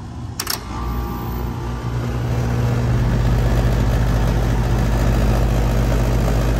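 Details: HVAC unit with 24 V control, no call for cooling, contactor jumped with alligator clips; sharp click then steady low hum building and settling, compressor and outdoor fan running normally (indoor blower not running).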